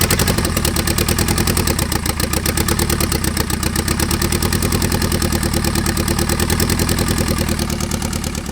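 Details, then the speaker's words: Turbo KA24DE swapped into RWD Honda Civic, first start-up: loud lumpy uneven idle with choppy beat and clatter, like running on two cylinders; misfire from a cam sensor trigger fault. "yeah it sounded like it was running on two cylinders"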